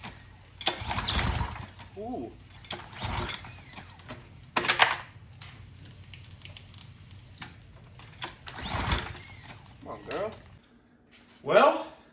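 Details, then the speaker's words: Troy-Bilt pressure washer with Briggs & Stratton engine, 93 octane fuel: repeated cord pulls, pops over once or twice but never catches; still not getting fuel, gummed-up carburetor, orifice possibly missed during cleaning. "she didn't start um she was still wasn't getting fuel she popped over once or twice but that's about it"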